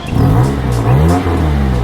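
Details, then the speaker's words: Lowered daily-driver car after repair of exhaust damaged by hitting the ground: smooth revving with a deep, even exhaust note, no ticking or puffing, sounding much better than before; exhaust sealed and healthy. "fact that it sounds a lot better really pleases me"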